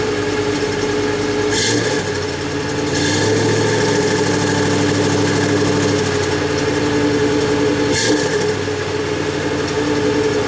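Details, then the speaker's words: 1991 GMC Jimmy just after fitting a new PCV valve, with a history of stalling: engine stalled right away, refired, and settles into a slightly uneven, wavering idle that then smooths. The O2 sensor is suspected but not confirmed. "Anyways, you saw I fired it up, stalled out right away, fired right back up. It was running a little rough. It's smoothed out now."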